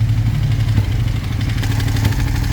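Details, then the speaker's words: Long-abandoned first-gen Suzuki SV650S V-twin idling once warm: steady, even knock on the low beat, quiet when cold; at first like rod knock but loudest near the cam chain tensioner, seemingly top-end, cause unconfirmed. "So, it sounds like rod knock at first. Putting a screwdriver here, here, here, moving it all around. The sound is pretty consistent on this side with the cam chain."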